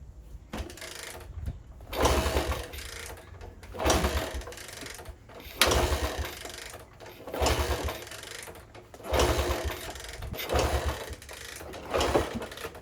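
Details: 1964 Honda CT200 Trail 90 that sat 50+ years, with spark, fuel, starter fluid and apparent compression: repeated kick-over bursts about every two seconds, each churning briefly then dying without a single firing stroke. It cranks but won't start.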